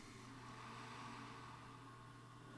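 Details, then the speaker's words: Power Mac G5 that had exploded on plug-in two years earlier, after repair: faint steady low hum with soft air hiss, no rattles or revving; fans running very quietly and normally while it slowly POSTs. "- That's really quiet. - Mm-hmm. - Like really quiet."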